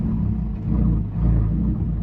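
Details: 2015 Alfa Romeo 4C Launch Edition, struggles to start after refueling, then idles: low, uneven idle rumble that sags and recovers every half second or so; evap purge valve stuck open, replacing it cured the problem.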